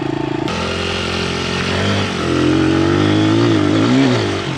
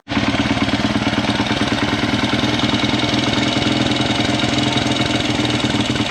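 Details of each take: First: Honda 100, manual clutch, newly fitted discount Amazon carburetor, test ride: small single revs up cleanly through the gears, pulling strongly and evenly with no bogging or spitting; runs healthy, slide adjustment still needed. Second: Honda 100 pit bike after fitting a discount Amazon carburetor: small single runs fast and steady at idle with a busy, even patter and no dips; idle set too high, to be adjusted down.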